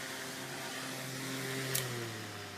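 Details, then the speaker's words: Fan running on a modified sine wave inverter gives a loud, steady electrical hum over the airflow, meaning the motor runs inefficiently, hot and uses more power. The hum disappears on a pure sine wave inverter. "sound I'm sure you can probably hear that humming sound and and it means the motor is running like super inefficiently it's kind of it runs hot it's using more power than if you would use the pure S Wave"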